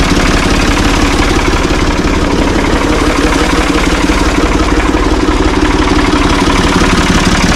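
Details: Ford 445 diesel tractor, thought to be a 1970s model, bought at online auction: steady, even diesel chug at about three firings a second, no knocks or misses; it starts and runs well, idling smoothly.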